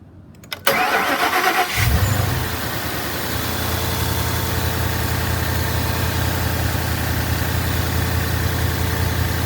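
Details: Mustang GT V8 restarted after a bearing replacement to cure its knocking, while checking a water leak at the top of the radiator; it cranks, catches and settles into an even idle with no knock or tick; the motor sounds good.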